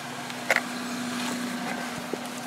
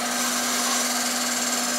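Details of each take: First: Toyota Celica, warmed up, after new fuel injectors and spark plugs: a steady, even hum at idle and under throttle with no misses or knocks; earlier rough running suspected to be an intake air temperature sensor. Normal running. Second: Toyota Celica running poorly after new fuel injectors and spark plugs, hesitation: steady, unchanging drill-like whine over a quiet engine, no pitch change; source not pinned down, owner suspects a part he plans to replace; idles fine once warm, suspects an intake air temperature sensor.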